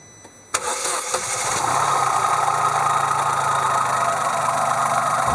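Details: 2002 Opel Corsa C three-cylinder engine: catches and settles to a steady idle with a light, uneven ticking laid over it; an abnormal engine noise whose source is unknown.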